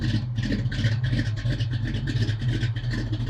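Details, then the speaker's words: Foxbody Mustang V8 with a cam, first start after sitting 10 years, using brake cleaner and tapping injectors: pulsing uneven lope with a few surges per second; lumpy idle, not firing on all cylinders, cause unconfirmed. "It's not firing in all cylinders."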